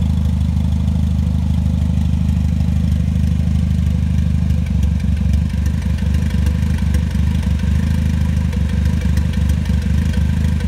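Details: Toyota 3S-GTE gen 3 with a deep, lumpy idle that catches and stumbles irregularly, a misfire that appears after warm-up; the cause is not yet pinned down.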